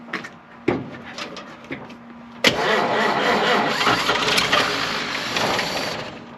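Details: 1953 Chevrolet 210 barn find: a few slow cranking turns, then it catches and settles into a rough, somewhat uneven idle that fades; the old engine fires and keeps running.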